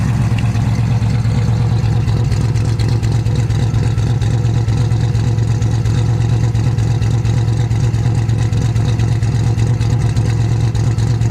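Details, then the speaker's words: Nova with basically stock-bottom Chevy 350, Vortec heads, LS6 springs, Comp retainers, Comp 280 Magnum cam (.230 @.050, .480 lift), after cam swap, drive-by: deep steady V8 rumble holding an even beat, no ticks or knocks; healthy. "here's a couple video clips for you me doing a couple drive-bys for you today to see what it sounds like and showing it idling and stuff so you can hear it"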